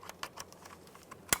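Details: 2002-2005 Ford Explorer door lock actuator just replaced, tested with the door panel off: a few light ticks, then one crisp, solid clunk as the lock throws, with no buzzing or grinding. The new actuator works properly.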